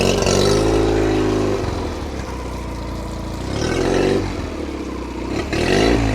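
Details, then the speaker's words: 2004 Nissan 9.8hp two-stroke outboard on a stand, running after a broken fuel-pump hose clamp (letting it suck air and lose prime) was fixed and oil from improper storage cleared; busy buzz, revs rise and settle smoothly without stumbling; runs great. "The plugs didn't look that bad. They look fairly new. The thing runs great."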